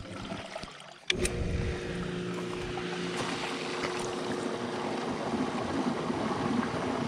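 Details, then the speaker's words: Hot tub circulation pump after replacement, wired with power on terminals 3 and 4, neutral unused, grounded; filter just cleaned: switch click then steady motor hum under rushing water. Starts and pumps normally. "just cleaned that filter, see where we're at pressure-wise. All right, well that's pumping fine."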